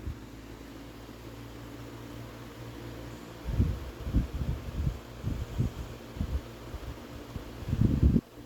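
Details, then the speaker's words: Late-1990s Lasko 16-inch desk fan Model 2016 Type 16-1, cleaned, on medium with oscillation engaged at slow arc speed: even low motor hum with soft rustling bursts as the head swings; nothing abnormal. "So now, engage the oscillator and start it up from low. Seems like it's got a pretty slow oscillation arc speed."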